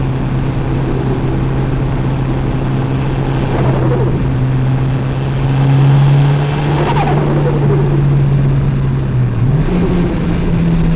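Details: Mitsubishi Evo turbo engine, recorder in engine bay: revs rise then drop with brief fluttery chatter each time throttle closes, air surging back through the turbo compressor.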